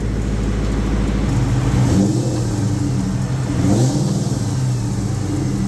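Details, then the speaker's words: 2003 SVT Cobra with new fully forged engine, warm (about 200°F, fan on, thermostat open): clean rev up and down, even note, no valvetrain ticking; whisper quiet. "The motor is whisper quiet."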